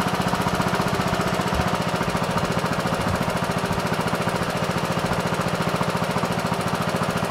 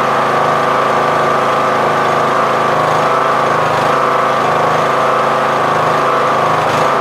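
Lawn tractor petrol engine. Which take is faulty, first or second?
second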